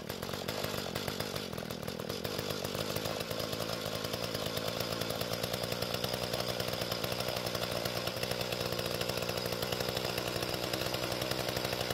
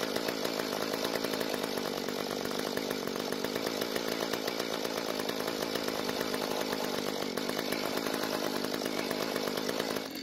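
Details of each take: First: Mantis tiller two-stroke after carburetor adjustment, tilling dry hard dirt; high buzzing note holds steady while digging, no bogging or surging: normal running under load. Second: Free Mantis tiller two-stroke, stored and leaking gas, started after fresh fuel and priming but needed mostly choke and died when revved; uneven struggling buzz then dies, not enough fuel: lean running.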